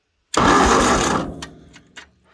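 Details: 1953 Ford Golden Jubilee tractor that has long sat unused, with a battery fitted and a rigged key switch: about a second of brisk starter cranking, but the engine never fires. Cranks but no start; cause unconfirmed.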